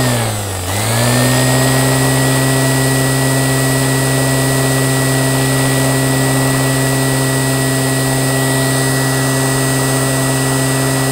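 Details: Qualcast electric motor after rebuild dips briefly, then spins up to a clean, constant whine that holds pitch, no grinding or rattle; normal running.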